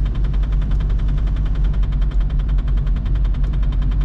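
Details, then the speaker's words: VW Golf Mk3 1.9 TDI 1Z (90 hp) driving in rain: fast rattling scrape repeating with wheel speed over rain and road hiss; the handbrake cable is touching the rear tire. "brakes are not in its best state no i have to listen this in my whole pov sorry guys we'll have to listen it not a good sound i agree"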